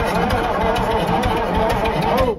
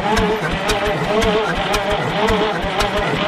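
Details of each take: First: Bullnose cabover semi diesel parked 20 years, cranked with ether available at the air intake; starter spins it over briskly and evenly for about two seconds, strong steady cranking that sounded much better, a normal healthy crank. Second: Old bullnose cabover semi parked about 20 years, batteries hooked up: slow, laboring crank with even thumps about three a second, never fires; sounds like it's dragging, injector pump being checked, batteries running out.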